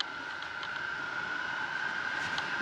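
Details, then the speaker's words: Cruise ship balcony sliding door on the NCL Escape not sealing when closed; wind forces through the gap as a steady thin whistle over soft airy hiss, later quieted temporarily with a pool towel. "we have an issue with the sliding door on our balcony I don't know if you can hear this and I'll put the camera up to it but the wind is whistling through the door so let's see if you can hear it"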